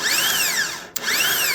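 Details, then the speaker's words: Starter from LS4-swapped Pontiac Fiero, bench-tested off the car on a battery: high motor whine spins up and winds down twice with no engagement clunk; spins free but pinion never throws out to the flexplate. "So, it's spinning, but it's not kicking the gear out. So, this is supposed to when you hit the button there or whatever, supposed to kick that out to grab the flex plate."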